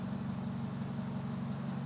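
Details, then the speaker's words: 2004 Subaru Impreza Outback Sport, engine rebuilt about 10,000 miles ago, low power and idle complaints: steady idle with slightly uneven lumpy pulse; crank pulley (harmonic balancer) wobbling, found not tight. "So while I've had the engine running on this 04 Impreza Outback, I noticed that the crank pulley, the harmonic balancer there, was wobbling all around."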